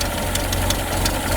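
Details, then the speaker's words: Peugeot 205 CTI restarting after being refuelled: a slow, lumpy idle with uneven thumps and a faltering beat, set so low it is close to stalling. The idle speed was then raised via the throttle body adjusting screw. "alors là on sent qu'elle est à la limite de calais donc ce que je vais faire c'est que vous augmentez le ralenti"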